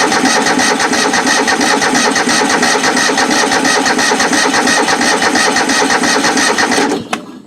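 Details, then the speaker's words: Toro-badged riding mower that is really a Craftsman and has sat unused for a while: steady even starter chugging at about three turns a second with no firing catches, then it stops. Cranks but won't start on the first try. "Well, cranking over anyway. Get a little gas up to it, it may start."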